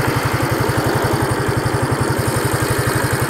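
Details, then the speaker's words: Yamaha SR250 project bike cold start after idle adjustment: even steady single-cylinder thump at about ten pulses a second, no misses or rattles; healthy idle. "oh that sounds so nice"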